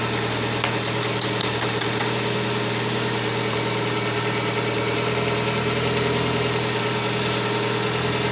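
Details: Kia Spectra at steady idle with a thin constant whine above the engine note, unchanged throughout; owner suspects a bad alternator, not confirmed.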